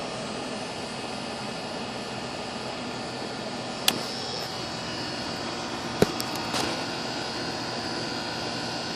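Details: Goodman outdoor AC condenser, fan and compressor running steadily after a blown capacitor was replaced, with an even airy rush and a few handling clicks; the unit was later found slightly overcharged with 0 superheat.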